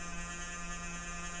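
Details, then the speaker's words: Dell Dimension E521 PC at power-on and setup screen: constant low-pitched electrical buzz with steady hum underneath; owner hopes it is not a 60 Hz buzz, cause unknown. "wow that sounds really bad I hope that's not a 60 hertz bud so I'm pretty sure that's not about to blow up my face but even still"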